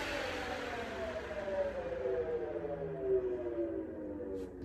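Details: CY Models 100" Cessna Bird Dog RC plane with electric conversion, first run after ESC calibration; smooth, steady electric whine that eases slightly in pitch, with no stutter or beeping. The motor runs normally.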